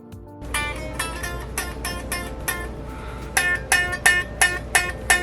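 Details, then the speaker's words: Guitar setup with the saddles lowered: single notes plucked from the 12th fret down on each string give a bright, rattly fret buzz because the string action is too low. The fix is raising the saddles slightly and retuning. "that is the buzzing you don't want to hear that means that your action is too low"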